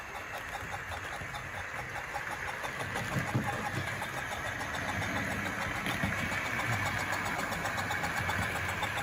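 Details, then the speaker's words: Tri-ang Hornby R.259NS Britannia model locomotive fitted with improved 5-pole motor, on vintage Tri-ang Super 4 layout: quiet even motor hum with regular wheel ticking, slow smooth start rising in speed; running normally. "So a bit of power, lovely slow start with the 5-pole motor."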